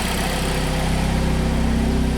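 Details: 2007 Saturn Sky 2.4L after a thermostat replacement, coolant bleed with compressed air and the fault code cleared gives a smooth, steady low idle with no misses, ticks or knocks, while being checked for leaks.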